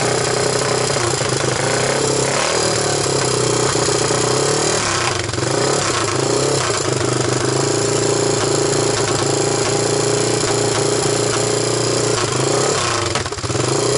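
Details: 1998 Honda TRX300EX single, choke on with portable CDI box, running after oiling the intake valve seats to overcome low compression: loud, steady beat holding even throughout with no knocks or misses; normal running.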